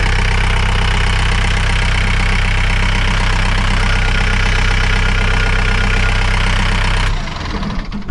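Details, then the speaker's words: John Deere diesel idling after replacing a dry-rotted, leaking original fuel line and priming the system: even steady idle with smooth low thrum, no misses, then clean shutdown; normal idle. "all right and let's fire it up again I'm gonna let that run for a few minutes and uh we'll check on it make sure it doesn't have any leaks and then we can get back to work"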